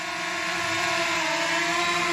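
Steady high-pitched propeller whine, even and unwavering with no rattles or stutters; the motors and rotors are running normally.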